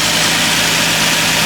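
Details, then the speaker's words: Nissan 350Z idling after new alternator and A/C belts, tension set and bolts torqued to 27 ft-lb, idlers not wobbling: smooth, steady idle with no belt chirp or squeal; looks and sounds good, normal idle. "And yeah, looks good, sounds good."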